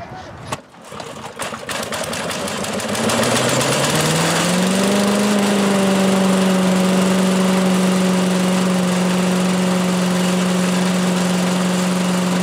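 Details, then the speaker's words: 1985 Billy Goat leaf blower, Briggs & Stratton 8 HP, after new spark plug, oil change, air filter and replacement gas tank: cranks, catches and climbs quickly to a steady even roar without surging; started easily, normal running. "now started pretty easily and uh blows the leaves around pretty good so I could just make my way right on out to the curb"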